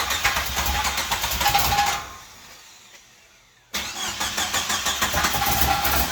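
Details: 1995 Jeep Wrangler YJ, first start in years after replacing bad fuel pump and rotten gasoline, new Flowmaster-style high-flow exhaust; cranks and catches cleanly, dips briefly, revs and settles to even steady running, no knocks; normal start and idle.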